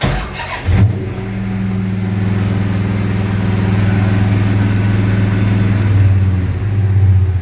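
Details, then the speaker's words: 6.1 HEMI V8 swapped into a 1970 Coronet, restarted after an overheating/fan issue: starter catches, then steady even low burble at about 800 rpm, no misfires, battery charging at 14 volts, air-fuel ratio 13.7–13.8. Normal idle. "yeah we're idling at uh yeah 800 rpm which is good batteries charging at 14 volts"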